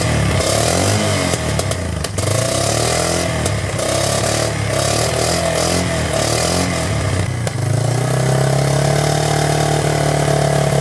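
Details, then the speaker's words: 1999 Yamaha Bear Tracker ATV single-cylinder, running after new in-spec pickup coil restored spark and petcock/carburetor leak fixes, hot day: speed wanders unevenly before settling faster; unsteady idle, owner thinks carburetor and idle speed need adjusting. "I just need to, sounds like I just need to adjust the carburetor and the idle speed and all that good stuff, which is pretty easy."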